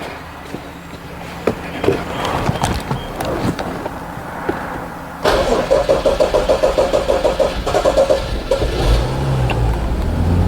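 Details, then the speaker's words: 2015 BMW 640i with dead battery, started on battery charger at jump-start points: after some uneven turning it fires and settles into a steady even pulse about three beats a second; engine running normally. "So as you can hear, the engine is running."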